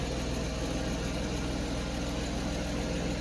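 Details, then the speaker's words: 1991 Mercedes 190E at idle after exhaust pipe repair, previously leaking and much louder; steady low rumble with no puffing from leaks, some lifter rattle noted, rear muffler-to-resonator joint not yet tightened. "that's actually pretty quiet before it was way louder"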